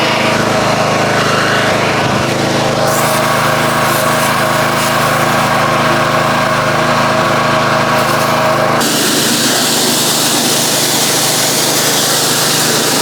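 Small engine holds a steady buzzing drone, and the sound changes as the washer starts spraying; it runs normally without stumbling.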